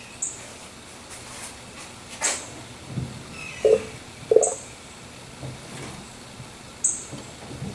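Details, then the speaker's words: Engine off, old car after replacing a power steering pump that had run dry from a leak: scattered gurgles and small pops as the steering wheel is turned, air bubbles rising in the power steering fluid during bleeding, before starting. "So I'm going to go ahead and rotate the steering wheel back and forth. I can hear the bubbles. I'll show you. As I rotate the wheel, you'll hear the bubbles, the air coming up."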